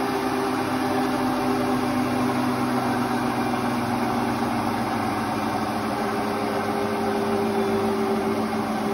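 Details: Hotpoint Ultima WT960 washing machine after drum bearing change and retightening, spinning at high speed: smooth steady hum with faint even tone, no rumble or grinding; new bearings run quiet and healthy.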